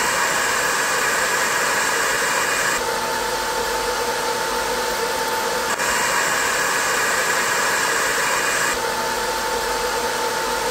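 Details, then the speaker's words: 20 W diode laser engraver module with continuously running top-mounted fan, after adding 3 mm laser-cut spacers, phone a pencil distance away: steady even airy whoosh without the earlier harsh high whine; quieter normal fan running with better cooling. "so it's far less painful on your ears just let you listen"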